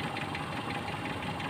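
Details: Toyota Kijang that showed indicator lights but would not crank, after cleaning cables and checking relay: steady even idle with no misses or stumbles; running normally, fault was cables, not battery or starter.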